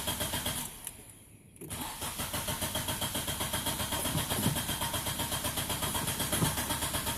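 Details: Nissan Pulsar run after cleaning the throttle body: steady rapid starter churn, about four beats a second, continuing without the engine catching; hard starting with extended cranking.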